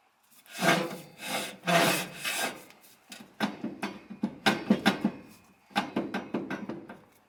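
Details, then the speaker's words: 1966 Plymouth Fury front hub turned by hand while adjusting wheel bearing nut during bearing and brake pad replacement: uneven rasping scrapes each push, pads seem to drag on rotor; owner suspects dirt on pads, not confirmed. "and of course it's also a little bit rough because i don't know maybe there's dirt on the pads and stuff that are creating a friction"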